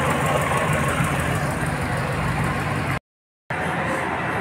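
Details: Renault Clio 1.6 16v engine idling after repair of a belt noise: alternator pulley with a broken one-way freewheel had let the belt slip and burst; pulley and slightly thicker belt replaced, now a steady even rumble with no squeal, chirp or rattle.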